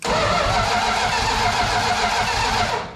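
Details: 1972 Plymouth Fury III during ignition troubleshooting: the starter spins the engine steadily for about three seconds with no firing, while the coil test light goes bright during cranking, so that part of the system is working. Cranks but won't start; cause not yet confirmed.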